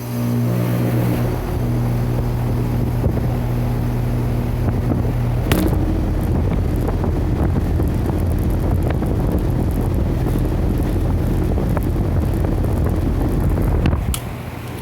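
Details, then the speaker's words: 2017 York 4-ton air conditioner starting up with the air handler running: steady low hum and whoosh of the outdoor condenser fan spinning up evenly, no rubbing or rattle; a really nice, healthy fan motor. "That one at least it's got a really nice fan motor."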